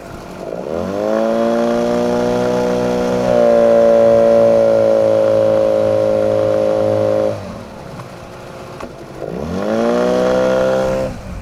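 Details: 9.8 motor with a 'brake-like' whistle whose cause the owner is asking about. The engine note climbs and holds with a hard tonal whine that tracks revs and drops when throttled back: squeal under load.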